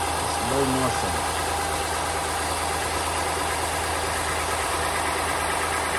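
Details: 2015 Honda Pilot 3.5L i-VTEC idling steadily after an engine noise fix involving the harmonic balancer, front cover and timing belt and tensioner; even low hum with no ticking or knocking, engine sounds healthy and settled.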